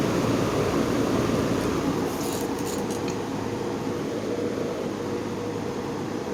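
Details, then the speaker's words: GE motor after repair, switched to the other (out) position: steady, even hum with a soft low drone and no rattle or scrape; quieter than the other position, low speed a bit faster. "Kind of funny because it seems like the out position doesn't seem to be too noisy at all."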